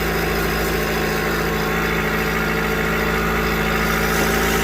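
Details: 2021 Jeep Renegade that earlier would not start or respond (not a battery issue), now running: steady, even idle with a smooth low hum and no knocks or misses; normal idle.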